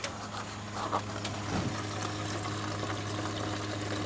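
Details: Electric fuel transfer pump jumped with a wire across terminals: steady low electric hum with fuel trickling and pouring underneath; pump kicks on and moves fuel normally.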